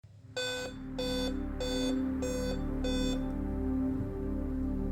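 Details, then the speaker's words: Older Dell Inspiron/Vostro laptop at power-on: five short, evenly spaced beeps over a steady hum, indicating a CMOS battery at the end of its life. The fix is replacing it with a CR2032. "beeping problem well you would need to change one of these batteries it has CMOS battery inside which is probably at the end of its life and we would need to replace it"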